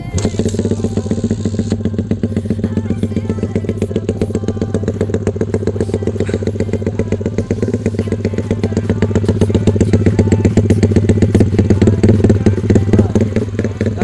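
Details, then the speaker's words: Yamaha MX King stroke-up to 177cc, Aracer RC2 Super ECU, custom exhaust (inlet 32mm stepping to 50mm), heavy to crank so kick-started; deep, loping drum-like idle at about four beats a second from "timing drum band" cam timing, not a fault. "Oh, beda ya mas ya. Dari suaranya dia lebih apa ya, lebih angker ya, karena dia tuh setengah sarangan tapi powernya dapet."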